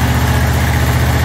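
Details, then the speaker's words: John Deere QuikTrak 652R stander mower just after starter replacement, first start: deep, even idle thrum with a steady beat and no misses or knocks; engine running smoothly, turning over better. "oh that sounds a whole lot better"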